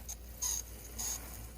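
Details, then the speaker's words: Kato N scale GE U23C model locomotive running: a faint, thin high-pitched squeal comes and goes over the small motor's quiet whir; it needs lubrication. "needs some lubrication I could hear it squealing a little bit"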